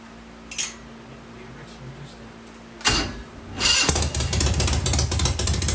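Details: Harley-Davidson Shovelhead V-twin started after a couple of kicks, pipes covered to hear the motor: quick, even beat, very quiet, no ticking or rattling; engine healthy, normal running.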